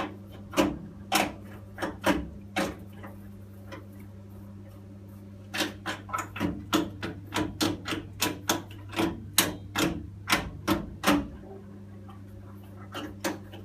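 Sharp dry ticks, sometimes bunched and sometimes spaced out, over a low steady hum; a boiler ticking, cause not yet known.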